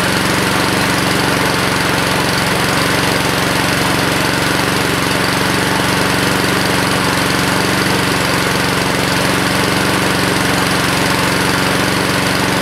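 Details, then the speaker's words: 2014 Husqvarna HU700F self-propelled mower with a Honda GCV160 engine, bought as-is, fresh gas in a previously empty tank, no carb cleaning: starts right up with a loud, constant, even drone and no surging or knocking. Normal running. "but yeah man it's a Honda starts right up the only thing we're really going to have to do to this I think is clean it really well because it's got a lot of gunk especially down around the engine"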